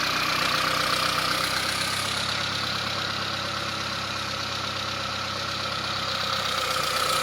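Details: 1998 Saab 900SE with a suspected bad fuel pump, fed by an external pump plugged into the fuel rail. The engine settles into a smooth, even idle with no misses, so it runs normally with fuel supplied from outside.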